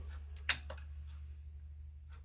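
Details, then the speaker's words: Sony STR-DE545 receiver that went into protect mode (center channel fault), after repair, meter on the previously tested pin reading no voltage: quiet mains hum then a single sharp protection-relay click at power-up, no chatter; no longer enters protect mode. "And we got nothing. So, that's good. And it clicked. So, that's good."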